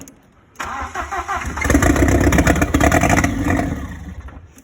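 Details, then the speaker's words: Audi 80 cabriolet with 1.8T AEB engine conversion, first start on modified ECU after loom wiring, fuel pump heard priming: short crank, catches quickly, revs and settles smoothly; starts and runs normally. "Let's see if it starts and runs on the modified ECU. And there you go. Oh, so it's running."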